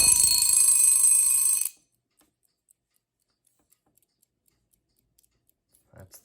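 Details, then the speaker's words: Late-model plastic Westclox alarm clock after repair and bell reinstallation: a loud, fast, even bell ring for under two seconds that stops cleanly, showing the bell mechanism strikes properly; normal alarm ring. "I don't I the screws in loud noise warning I'm gonna test the Bell"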